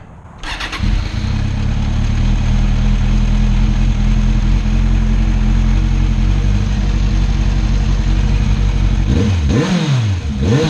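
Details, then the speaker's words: 2016 Kawasaki Z1000 after brake fluid flush and maintenance, exhaust in quiet mode: catches cleanly, settles into steady even idle, then blips up and down smoothly with a fairly quiet exhaust note; normal start and rev. "Sometimes it's better for Jade to be quiet and stealthy. It makes spirited riding a lot less stressful. Let's hear what she sounds like in stealthy quiet mode."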